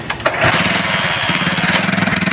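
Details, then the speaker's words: China Unique 70cc single-cylinder motorcycle with misfiring despite a newly fitted plug: starts and runs with an uneven stumbling beat and dropped firing pulses, then cuts out; misfire traced to a shorting spark plug, fixed by new plug. "ये देखिए दोस्तों, ये आवाज़ सुन लें, ये एकदम ही घुड़प घुड़प ये बंद हो गई। यानी कि यही मिसिंग का मसला है।"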